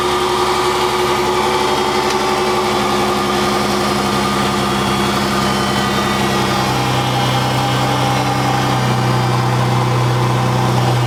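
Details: Dodge 3.5L V6 (LX) at idle after rocker arm shaft replacement cured a loud ticking: smooth, even hum with no ticking from the top end. Normal idle.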